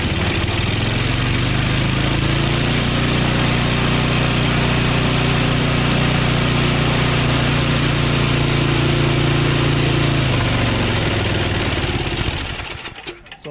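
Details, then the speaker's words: Craftsman 5.5HP 24-inch dual-stage snowblower after retightening the head bolts: chugs weak and uneven for about twelve seconds, then sags and dies, and stalls under auger load. Low compression suspected; the magneto is not suspected. "stalls after you put some load to it like uh you know engaging the auger so it just won't stay running you know because it's just so weak you know yeah uh i don't think it's the magneto to be honest with you i think it's just really low compression is what it is"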